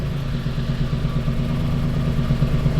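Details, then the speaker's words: Drift car engine after a blown-up motor and attempted fix: heavy lumpy rumble with uneven surging beats at idle, misfiring and running worse than before; smells worse too. "How is it running worse? It's literally worse than before. That's terrible."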